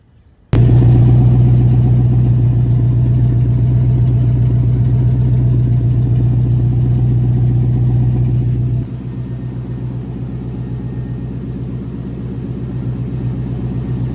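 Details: 1972 El Camino with LS V8 and newly welded passenger-side exhaust, header flange gasket needing replacement: engine catches and settles into a loud, puffing idle with sharp exhaust pulses; exhaust leak at header flange, gasket and new bolts to be fitted.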